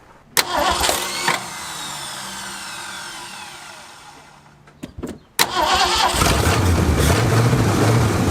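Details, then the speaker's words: Classic Ford Galaxie V8 parked five years, only new spark plugs and fuel pump: starter cranks in short bursts, catches at about five seconds, settles into steady even idle; normal start and idle. "Running pretty good. Sitting here just idling. Fuel doesn't look too terrible."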